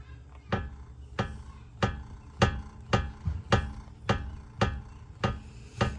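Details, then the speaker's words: 2005 Mercedes S500 4matic W220, front suspension worked by hand on a jack: heavy low clunks about every 0.6 seconds that quiet when a screwdriver is wedged in; the lower control arm ball joint is worn out. "So that is the cause, guys. Lower control arm ball joint is worn out. So that's what's causing all of this noise."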